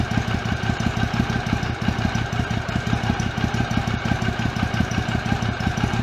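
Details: 2006 Triumph America twin at idle after patching a cracked airbox lid (was in five pieces); low, even thumping around three pulses a second, no knocks or misses, air disturbance felt at airbox; healthy normal idle.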